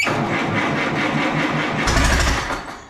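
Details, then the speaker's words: Allis Chalmers B tractor with radiator off and freshly charged battery, started on ether: cranks, catches, runs rough about two seconds then dies once ether stops. "well we got it running on ether but as soon as i let off on the ether it completely dies right out"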